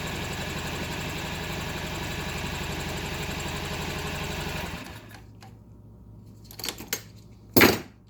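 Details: 2012 Honda Ruckus scooter: even starter churn for almost five seconds that never fires, with throttle changing only the sound. Fuel flow and spark confirmed, carb cleaned and ECU reset; a new carburettor fixed the gummed-carb no-start.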